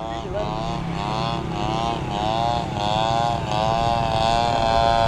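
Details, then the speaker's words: Maiden flight of an RC trainer plane converted from electric to gas, TU 26 engine, 186 cm wingspan: the small two-stroke buzzes in flight with pitch wavering and surging. It ran well at first, then sputtered; owner suspects fuel, cause unconfirmed. "Lihat, kenapa mesinnya tersendat-sendat? Bahan bakar? Agak terlambat. Mari mendarat."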